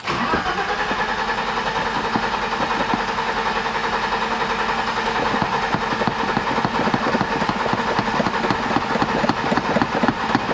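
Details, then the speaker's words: 1987 BMW 325i E30, sat outside after a paint job: starter spins the engine steadily for ten seconds without catching; has spark and fuel pressure and fires on starting fluid but won't stay running; suspected dried-up injectors from old fuel, needs fresh fuel. "Now it doesn't want to stay running. With starting fluid, it fires up, so that's good. We got spark, but probably the injectors are dried up over time with bad fuel, and this car probably needs some fresh fuel in it."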